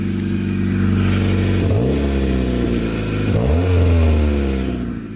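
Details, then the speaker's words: Barn-find Honda CRX Si with a rotted 30-year-old exhaust ending midway under the car, check engine light and O2 sensor codes: loud, raw, blatty note swelling with each rev over a deep rumble, sounding like a tractor; exhaust leak before replacement. "But main issue today is it sounds like a tractor. But yeah, it sounds awful. The exhaust comes out like midways."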